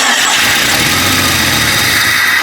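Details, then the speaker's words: Jeep Cherokee 4.0 after a field rebuild, first start attempt: steady, thin, hissy cranking that never fires; it turns over but gets no fuel. "Oh, we ain't got no fuel, dummy."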